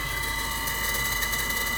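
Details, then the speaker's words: Rocket stove draft fan, cheap three-phase motor on a variable frequency drive, control signal raised from 8 to 12 mA: steady high whine with gritty ratchet-like rattle as speed rises; bearings suspected complaining. "that's blowing more air to the stove you can hear the bearings protest on my cheap ebay fam and now we're burning much more vigorously down there"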